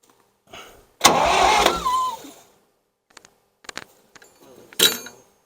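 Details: 1963-64 John Deere 1010W tractor, sat 18 years, cranks hard about a second and a half, never catches, then quiet; fuel starvation, stuck carburetor float or valve suspected, adds fuel filter.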